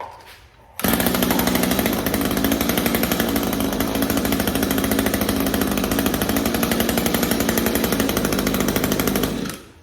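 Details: Echo SRM string trimmer with HiPA replacement carburetor kit, fixed from a no-start by swapping the kit's off-brand Savior spark plug for an NGK: steady, even high-pitched two-stroke buzz for about nine seconds, no stumbles or surging; running normally.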